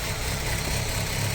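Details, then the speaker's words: Cold start on a 2.0 ALT Audi A4 B6: light, uneven knocks as revs drop to low idle. Knocks seem to come from under the valve cover, between the two camshafts. Camshaft phaser suspected; cause not confirmed. "Сейчас он начнет брать свои малые обороты, и мы услышим на низких оборотах довольно-таки неприятные стуки."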